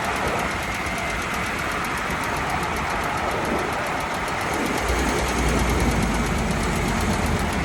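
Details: Chrysler Town & Country/Dodge Caravan, phone taped near the exhaust flex pipe after the catalytic converter while driving: rough, continuous grinding with a faint quick pulse; owner concludes the flex pipe is failing, mechanic not fully sure.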